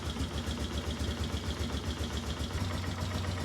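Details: 2005 Polaris Sportsman 400 single-cylinder ATV, 2100 miles, after adjustment, idling about 980 rpm (slightly low): steady low thump at even pace, no hunting or stalling; normal idle.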